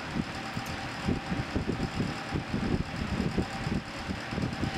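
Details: Early-1980s Sears (Lasko) 9-inch window fan with C-frame motor, cleaned and fitted with an extra thrust washer: soft steady hum with faint light clicking characteristic of C-frame motors; runs smoothly and healthy.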